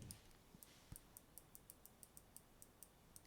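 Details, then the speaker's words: Action-brand cordless screwdriver, about four months old, dead after being disassembled and reassembled; faint, regular light clicking at about four per second with no motor spin-up. Clicks but the motor won't turn; cause not confirmed. "Il marche plus du tout. Bon, ça fait toujours lampe torche. Et encore, non, maintenant il fait plus rien. T'entends juste un cliquetis."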